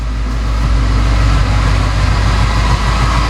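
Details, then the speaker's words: Ford Mustang Coyote V8 on a lift after its first oil change, with an idle issue under investigation: deep idle with a light, quick valvetrain tick, slightly quieter than before and typical of this engine; runs even, normal idle. "but yeah I mean everything seems fine all right oil level is looking good after several minutes of sitting here"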